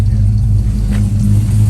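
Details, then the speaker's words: Holley Sniper EFI after lean condition fixed, now with all four injectors firing, possibly still self-learning: short smooth rise in engine rumble with light revs, no stumble or misfire, clean on all cylinders; normal revving. "oh yeah yeah much better perfect air fuel ratio"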